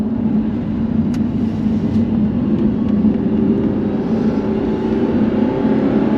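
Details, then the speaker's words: 2007 Audi R8 4.2 V8 manual with rebuilt engine on its first road test, warmed up, stock, pulling hard in second gear at high revs: a deep, even V8 note rising smoothly with no misses, knocks or rattles. Healthy V8 under acceleration. "woo w that sounds epic even stuck W that sounds insane like sounds well never comes across on camera but it sounds so much better than today's engines"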